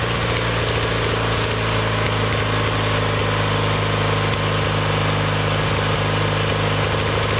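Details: Kohler Magnum 20 with a rebuilt carburetor, mixture screw backed out about one and a half turns and slowly turned in to find the sweet spot. Loud steady single-cylinder idle with an even low beat, no stumbling or hunting. Normal running.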